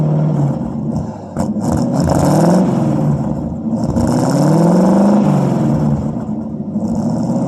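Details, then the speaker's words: 1952 Ford Customline flathead V8, microphone at the dual glass-pack exhaust, two revs: deep, even burble climbs smoothly and settles without misses or knocks; engine smokes a little, previously had stuck valves, water pump replaced, carburetor cleaned. "I'll rev it up a couple times and you can hear what it sounds like."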